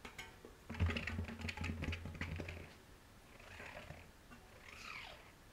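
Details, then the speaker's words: Tubeless MTB wheel turned by hand: irregular rattling and scraping from inside the tyre, not the hub, caused by a dried clump of tubeless sealant tumbling loose in the tyre. "wenn man die Narbe nicht dreht und nur den Reifen da poltert irgendwas im Reifen ist ein bisschen schräg"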